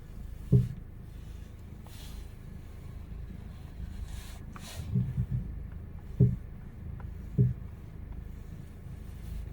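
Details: Lada Vesta front suspension: a few dull, irregular clunks as the car moves off and stops, silent over bumps, with a squeak when steering. Anti-roll bar link knock.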